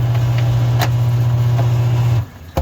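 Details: Basement utility sink up-pumping drain system after its inline filter, clogged with paint crud, was cleaned. A low, steady hum holds about two seconds and cuts off cleanly as it pumps water uphill; normal pump operation.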